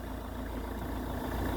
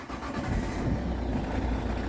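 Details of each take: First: Ford Kuga Mk1 AWD 2.0 TDCi diesel (replacement engine), after auxiliary drive belt replacement: smooth even idle, steady low rumble, no clatter or knock; rattle gone, fixed. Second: Ford Kuga Mk1 AWD 2.0 TDCi diesel (replacement engine), start and idle: extra light rattling clatter over usual tick, disappears with a little rev; cured by fitting a new auxiliary drive belt.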